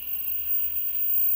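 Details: SEMP Toshiba CRT TV under repair, screen lit: faint, steady high-pitched whine with a thin hiss, blamed on the flyback; no visible arcing in the dark, fault thought internal, replacement ideal; high-pitched whine.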